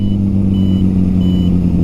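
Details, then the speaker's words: Honda CB750 riding with turn signals on: normal indicator beeper pulsing about every two-thirds of a second, faint and high over a steady, smooth engine drone. "as you can hear right there that's the sound of the indicators little beeping noise if you can hear it over the Harley"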